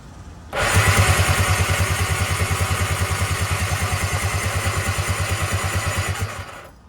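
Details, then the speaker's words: Tigershark jet ski (PWC) after sitting 15 years, spark plugs brake-cleaned: starter churns steady and fast about six seconds without firing while clearing water from the cylinders, a hydrolocked no-start. "Trying to not totally murder the starter. That's not really that hot. I haven't been putting any pressure on it. I've just been trying to get this water out."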